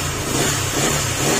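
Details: Honda Click 150 after an overhaul of the piston, piston pin and gasket (crankshaft kept), a probably loose piston pin likely having caused a knock, revs up cleanly and evenly with no tapping or knock climbing with throttle, top end now healthy.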